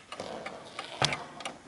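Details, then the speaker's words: Antique 1920s Napoleon Hat 8-day chiming mantel clock after beat adjustment at the back (pendulum pushed left to find middle): light crisp ticks, tick and tock evenly spaced; clock now in beat. "and hopefully you'll be able to see it with this, that the tick and the tock are evenly spaced."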